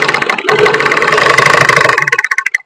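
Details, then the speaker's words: Single-needle sewing machine after pressing the raised face plate down and tightening its screw: fast even needle-mechanism clatter at steady speed, then slows and stops; the knocking sound is reduced, smooth with no hard knock. "അക്കാട്ടന്ന് വന്ന് ഇടിക്കുന്ന ഒരു sound ഉണ്ടായിരുന്നു ആ sound കുറഞ്ഞു ഇതാണ് main reason"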